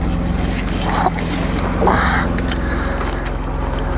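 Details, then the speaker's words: 1989 Mercedes 300SE after hard-start issue solved, backed out and warming up: smooth, even low idle hum with steady beat, no misses or knocks; running cleanly. "I don't know if you can hear it run but it is purring like a kitten"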